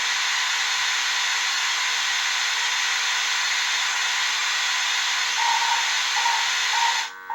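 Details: 1978 Bally Midway Sea Wolf II arcade PCB under repair: a steady harsh buzz with hiss runs nonstop under the game sounds, pointing to a fault in the audio circuit.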